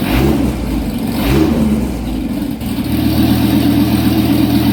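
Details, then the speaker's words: Dodge Viper with exhaust cut off on both sides, short open pipes: very loud, raw rasping burble at idle swelling on throttle blips, no muffling. "I know everybody's dying to see what it sounds like with short pipes on it, so I got thinking, why not? So let's check it out. Maybe it'll kind of help me, give me a better idea how I want to go about it. So it's going to probably be crazy loud."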